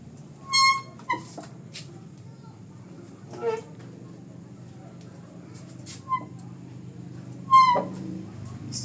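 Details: Honda ADV 150 scooter after brakes and CVT were cleaned: four short high-pitched squeaks around 1 kHz in nine seconds over a quiet background—brake squeal.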